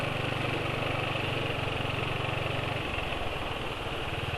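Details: Motorcycle single idling after about 27 km on Esso 4T Pace oil: coarse uneven chain-like clatter from the head/front, absent with previous oil; owner suspects weak oil film strength, adding Kie Corn Oil reportedly removed the noise.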